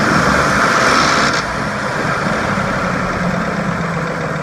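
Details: 2004 Ford F150 5.4L V8 rattles when letting off the gas at 2300–2500 rpm, in drive or park and in any 4WD mode, still present with the belt off; loose metallic timing chain rattle, later traced to a broken timing chain tensioner.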